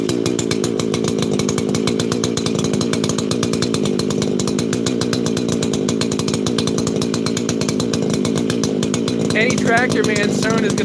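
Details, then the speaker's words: 288 chainsaw, heat cycling: a steady, even high buzz holding constant revs with no misses or surging; the saw is running clean and healthy. "that's sound nice it just has this nice paint to it"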